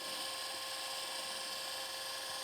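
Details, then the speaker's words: Panasonic PV-VS4821 Super VHS VCR from 2003, 21 years old, during maintenance for screeching: smooth, steady high-pitched whir on fast forward with no screech or catching; reel drive sounds healthy. "okay so it's playing hit stop and fast forward it's going to go into fast mode [Music] here sounds good"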